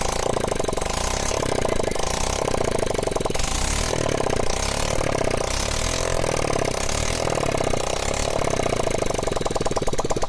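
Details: Motorcycle after carbon cleaning and valve work, owner had complained of black smoke, started with silencer not yet fitted: loud open-pipe idle with quick, even firing pulses, no knock, tick or misfire. Normal idle.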